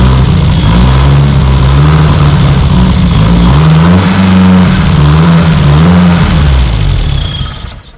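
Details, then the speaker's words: Austin 7 special engine run after 15+ years sitting, fuel line leak now fixed; small four-cylinder catches and settles into a slightly lumpy idle with revs gently rising and falling, no obvious knock, though owner earlier suspected big-end bearing trouble. "So, there you go. Uh, that's not too bad, I suppose. I'm not sure about the condition of the engine, but it does run."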